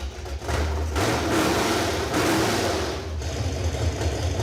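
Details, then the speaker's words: Plymouth Duster V8 first start after plumbing the electric fuel pump and fitting plugs: loud, even V8 rumble settles into steady smooth idle with no misses, knocks or ticks; runs perfectly, normal idle. "Runs perfectly. We're done. That was like not dramatic at all."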